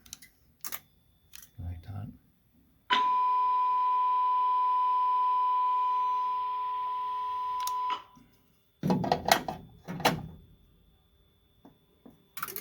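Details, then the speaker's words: Fire alarm panel pre-announce tone before paging, sounded after a reset: steady piercing tone near one kilohertz for about five seconds, then stops; the nasty pre-announce alert the technician avoids when paging. "that pre-announce tone, that's what I'm trying to avoid every time I use audio."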